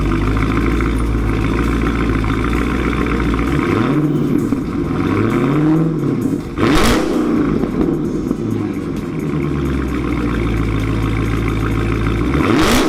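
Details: 2019 Dodge Challenger with newly installed Corsa axle-back exhaust: deep steady idle rumble with a few smooth blips rising and falling cleanly, no knocks or rattles; normal healthy revving.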